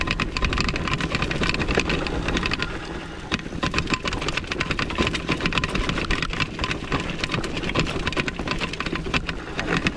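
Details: Engwe X26 electric bike on a technical Beskidy mountain trail descent: irregular metallic clattering bursts over rough tyre and trail noise; loose chain slapping the frame.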